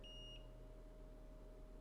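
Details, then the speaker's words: Multimeter continuity test on a phone logic board's VCC main line after repair: two short beeps separated by quiet over low room hum, no continuous tone; continuity test, no short. "one beep Quiet One beep Quiet One beep quiet all right VCC Mainline short is gone"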